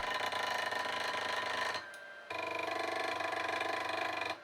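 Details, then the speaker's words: HICTOP S250 3D printer Z-axis moving between bed leveling points: harsh buzzing whine with rough ticking; acme lead screw misaligned with motor coupler, binding the stepper motor, fixed by loosening and realigning the screw. "that sound usually means some sort of binding loosening the acme screw i noticed that it was not aligned with the motor coupler"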